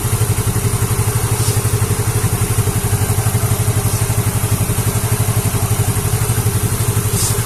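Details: Yamaha Mio J scooter after replacing the failed fuel pump IC, damaged by a faulty spark plug cap, which had caused sudden stalling: steady, even low putter of about four beats a second with no misses or rattles. Normal smooth idle.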